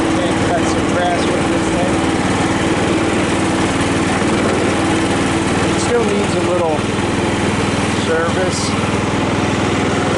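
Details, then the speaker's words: Cub Cadet LT 1018 lawn tractor after deck and blade engagement repair (makeshift idler spring), PTO engaged first time: steady even engine drone with deck spinning, no knocks or slipping; running and cutting properly. "all right is the power take off for the first time well you seem to be cutting grass"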